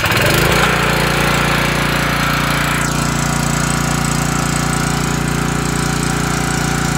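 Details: Homelite LR4300 generator with Robin Subaru EY28 single-cylinder engine, after a carburetor rebuild and replacing the NGK BPR6HS plug with a Champion RL82YC, now holds a steady governed speed with a crisp regular beat, no misfires or hunting; normal running.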